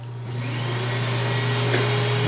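Steady, even roar with a constant whine on top and no surging or rattles; a central vacuum motor running healthy.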